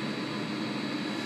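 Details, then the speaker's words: Webasto heater heating a 60 L water tank under STC-1000 thermostat control, shutting down: smooth, steady fan rush with no pulsing or rattle while the pump keeps circulating water to cool it; normal shutdown cycle. "go for a short the temperature slightly which is normal this is a passive stove okey and it the pumps still pumping water through it the cools down"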